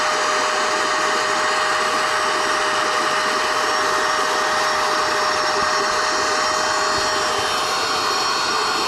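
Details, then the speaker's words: NovSight G5 6000A jump starter/tire inflator's built-in air pump, switched on and inflating an item until it is taut: even, unbroken motor whir at one pitch, no catches or grinding; normal operation. "So, to do this, see where you're at here, I'm going to hit the pump. First, got to turn the unit on."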